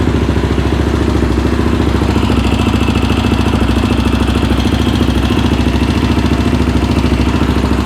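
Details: Rebuilt Yamaha Raptor 700R engine, start after install with battery charged overnight; steady, even single-cylinder thump at a settled idle, no knocks or rattles, healthy.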